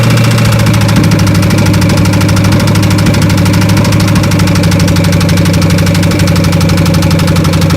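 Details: 1993 Chevy at idle on open headers: loud exhaust with a deep, regular knock on every revolution, about four per second; rod knock.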